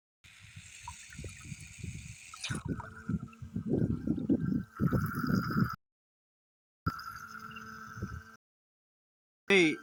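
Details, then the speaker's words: Solar water pump: irregular gurgling and dribbling splashes with stops in between, never a strong steady stream; weak flow with little lift height, owner suspects the pump tubing settings may not be compatible. "చూసారా, height రావట్లేదు. దీనికి పంపు tubing settings adjust చేయడం కొంచెం compatible కాకపోవచ్చు."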